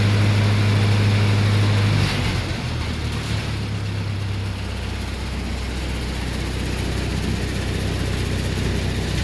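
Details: Lincoln SA-200 welding machine engine at start-up just after carburetor rebuild with new kit: steady, even drone with smooth low rhythm, dropping slightly to a settled speed, no misses or knocks; runs normally.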